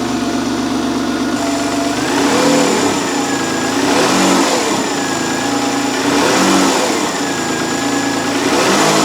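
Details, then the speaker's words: Citroen XM 3.0 24V V6, still fairly cold with a slightly high idle: repeated clean blips rise smoothly and return to idle quickly without hanging, unlike before. It is running on all cylinders; normal revving and return to idle. "I really think it's running nicely now. It returns to idle pretty smoothly and quickly. It revs up nicely."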